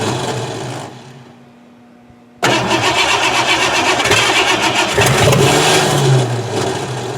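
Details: 1988 Ford Crown Victoria that sat about 5 years, after replacing old fuel and cleaning the distributor cap: steady cranking about four beats a second that never catches. It failed a compression test, with gas in the oil and oil in the coolant.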